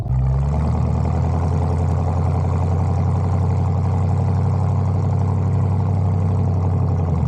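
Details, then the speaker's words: 1974 Bitter CD with Chevrolet 327 V8, warm, on a test drive under load after new HT leads, distributor cap, points and condenser: deep smooth drone with no stumble; the earlier misfire under load is cured. "under load now and yeah sounds sweet as it should y yep sounds good"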